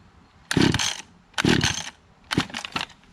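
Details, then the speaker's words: Small pull-start engine (hedge trimmer or trimmer) not started in six months, choke position unclear: three short pull-start rasps that die without catching. The owner thinks it flooded and wet the spark plug, and it later started after sitting. "i think i flooded in the beginning and the spark plug was wet let it sit for a while kept on doing it until the spark kept on burning off whatever was on the spark plug so then it started"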